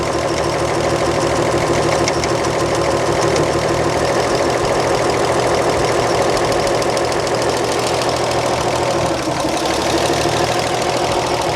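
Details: 1938 Chevrolet coupe six, warm and running during valve adjustment, exhaust lash set to 0.014 in; even tappet tick about three a second, no loud clatter, steady speed; valve lash properly set.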